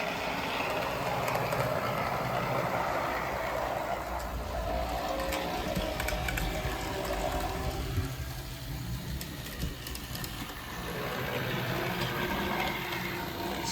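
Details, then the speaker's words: Varney 2-8-0 Canadian Pacific Consolidation locomotive after repair and fresh lube, running on track; a steady even whirr and rumble that quiets as the lube circulates, noise varying with track section, with some body vibration absent on the bench, smooth enough. "makes different noises but it's smooth [Music] enough"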